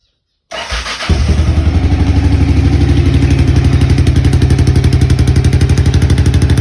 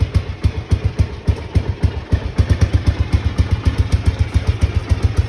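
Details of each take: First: Honda XBR500 on its worn original mufflers, before replacement: fires at once into a hard, loud, popping thump around 240 a minute; worn mufflers too loud. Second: Honda XBR500 single idling with newly fitted universal Viper silencers (about 6 of 10 loudness): deep, punchy exhaust thumps about four a second, steady, moderately loud; normal idle.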